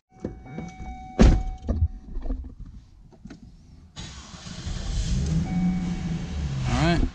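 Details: 2005 Cadillac XLR Northstar V8: quiet handling noises, then it cranks, catches cleanly and settles into an even idle without stumbling; normal start-up.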